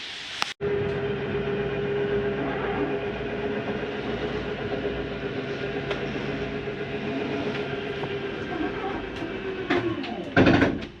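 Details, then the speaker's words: Jayco Eagle HT 24RE travel trailer slide retracting: steady electric motor drone ending in brief harsh ratcheting grind at its stop, normal, how the slide tells itself to stop going in. "if you hear that sounds like a grinding noise don't worry it's not a grinding that's how the slide tells itself to stop going in it doesn't hurt to hear for a couple seconds"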